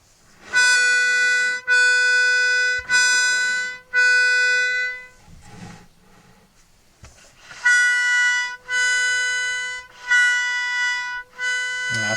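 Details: 70-year-old Hohner Verdi 1 accordion being assessed before restoration, tuning checked: one reed side at A440, the other tremolo-tuned higher. Bursts of bright reedy notes about a second each, paired reeds slightly apart in pitch; some reeds are out of tune.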